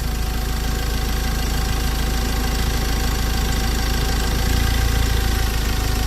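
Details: Normal idle on a Ford Ranger 2.2 T6 diesel after removing the whole EGR system (cracked EGR cooler let coolant into the pistons) and a 32 km test drive: steady, even idle with deep rumble and light clatter; cylinder head not warped.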